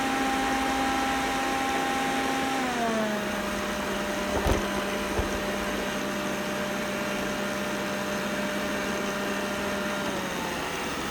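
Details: Roborock S6 robot vacuum running with steady high buzz, pitch stepping down twice as the motor changes speed; abnormal buzzing, cause unknown.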